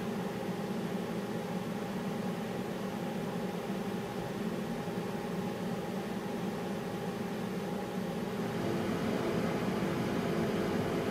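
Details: Home 100TB 10Gbit server before Noctua swap: steady, even whir with a few fixed tones and constant airy hiss, no ticking or grinding; stock chassis fans running normally.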